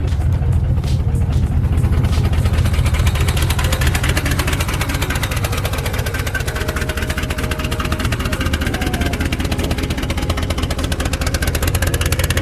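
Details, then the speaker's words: Turbocharged Mercury Marauder V8 after salt water got through the engine: loud, deep idle with uneven lumpy pulse, no sharp knock; rough idle, earlier suspected knock no longer heard. "All right, let me see if I could do something to get it to idle. No, every time I tap the gas, it just turns off."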